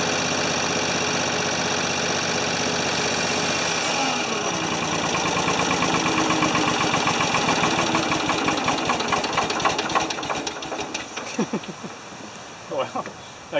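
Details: 1980 or 1981 Ford 2600 gasoline tractor with rebuilt carburetor, temporary fuel tank and cleaned points: steady, even idle for several seconds, then it slows and winds down to a stop.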